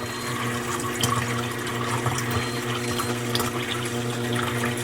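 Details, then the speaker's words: New Bosch 800 Series fridge after copper flare water line install, first use of door dispenser: steady rush of running water with sputters as trapped air purges from the new line; water not yet drinkable, normal. "Just purging out the air. And this isn't ready to drink yet."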